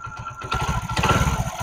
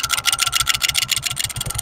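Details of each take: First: Honda Pridor 100cc motorcycle after opening the magnet (magneto) cover to fix an engine noise; catches and settles into an even single-cylinder beat with no rattle. Normal idle. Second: Honda Pridor 100cc motorcycle at idle: fast metallic rattle, about 3.5 per second, easing when revved; play in the flywheel magnet rotor, not internal damage; fix by removing rotor with 14 mm nut.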